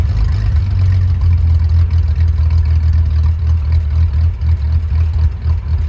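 Low, lumpy idle with an uneven throb around two beats a second that wavers in strength; the engine is idling roughly, cause unclear.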